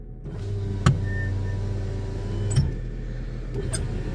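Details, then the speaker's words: VAZ power window, tested on the right door with the engine running: the motor runs smoothly over a steady idle with a clean thump at the stop; speed is unchanged and it works well. "скорость думаю не изменилась работает хорошо"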